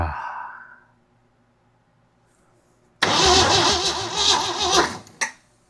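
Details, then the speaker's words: Jeep CJ7 project, first start attempt, no fuel in tank: starter spins engine about two seconds without catching or firing; oil pressure present; crank no start, cause suspected not confirmed. "why are you not firing now? Oh my god. Is it pumping fuel? Nope. There's no fuel in the tank."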